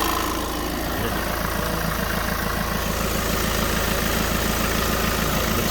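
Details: 2016-17 VW Transporter T6 2.0 diesel just after full service and fuel filter bleeding: steady, even diesel clatter at settled idle, no misses, knocks or hunting; normal idle.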